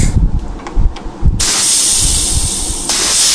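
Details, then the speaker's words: Rebuilt Trimatic TH180/3L30 Holden Commodore transmission on air test plate with servo cover bolted: sharp rush of air holds steady then steps up; second, third, reverse clutches and servo apply with no leaks. "Now we've got it all belt bolted down, including the servo cover. You can hear the second clutch, third clutch, reverse"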